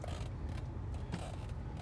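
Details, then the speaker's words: 2013 Ford F-150 SVT Raptor, Copart rebuild with a replaced broken front axle, new front shocks and locking hubs, climbing a steep hill in 4WD: low steady drivetrain rumble; the earlier 4WD clicking is gone and it doesn't struggle. "And I don't hear that noise anymore either. There's a steep little hill right here. This thing doesn't struggle at all."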